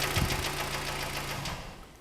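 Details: 2013 Kia Sportage, AWD, Prestige trim, about 120–125k km, idling with the hood open outdoors. Rapid, even light knocking rides over the idle and fades as it settles; piston knock from scored cylinder walls. Oil use is about 100–150 g per 1000 km.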